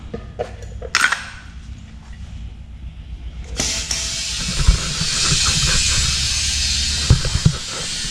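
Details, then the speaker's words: Hard race car tire being inflated to 30 psi after a few clanks: a strong, steady rush of escaping air. The bead did not seat and air leaked past it, so the air is let out to reposition the bead and try again. "It ain't out. Oh. Well, let the air out and we'll put it on the bead better right there and see if we can get it."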